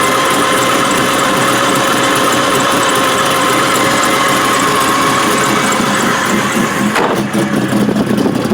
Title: ls2 stroker misfiring